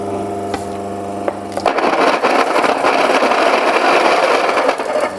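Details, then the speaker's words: Mockmill 100/200 grain mill grinding at a coarse fineness setting during calibration: a steady motor hum gives way to a dry, crackling grind as grain feeds through the stones. Grains come out hardly broken. Normal coarse-setting run. "we go and the grains are hardly broke now I'm gonna go to a finer setting here and try that again"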